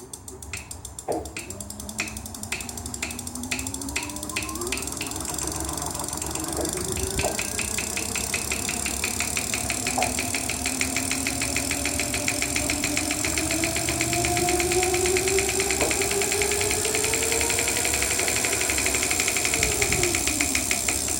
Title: clicking sound from motor